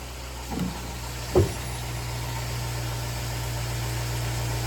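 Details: 2005 Chevy Tahoe idling after water pump and thermostat replacement, coolant drawing down, leak check; steady low even hum with brief early bumps, no knocks or squeals, smooth idle, no big leaks.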